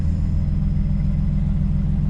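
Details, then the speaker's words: Forged 550hp RB25DET in an R33 Skyline idling after starting once the fuel system was re-primed following a fuel-line problem; a deep, even burble with steady pulses and no stumbles or misses. "Got it started."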